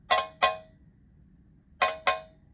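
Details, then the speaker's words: Guitar amp reverb pan (Blues Deluxe reissue) after mounting mods leaving it loosely coupled to the cabinet: four sharp metallic taps dying away quickly with no lingering ring; well-damped pan, no resonance. "no resonance I like it"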